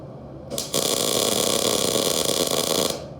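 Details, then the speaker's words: First-time welder's MIG tack weld after voltage and wire-speed setup: about two seconds of steady, even frying-bacon crackle with a clean start and stop, exactly the correct sound for a proper tack. "Okay. That was the perfect sound. I don't know if you can hear it from behind here, but that's exactly how we wanted it to be."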